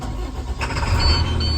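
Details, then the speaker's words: 2012 International PB105 short school bus, hydraulic brakes; short crank, catches at once into a deep steady rumble, check engine light blinks then goes out as normal — healthy start. "The bus starts right up. You'll see the check engine light illuminate, and then it will go out. It's just standard for these 2012s. They blink for a little bit and then they will go out. But you can hear the engine sounds healthy."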